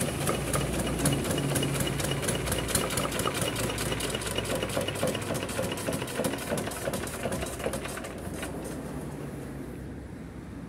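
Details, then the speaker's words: Kubota RD65DIS single-cylinder diesel, modified with RD85 pusher and non-standard piston, test-run after cylinder head refit and timing set: crisp beat roughly three to four firings a second, even and clean, tapering as it shuts down; healthy. "Kami telah mengujinya dan menyaksikannya bersama. Kami sudah mengecek daya listriknya tadi. Insya Allah, semuanya akan baik-baik saja."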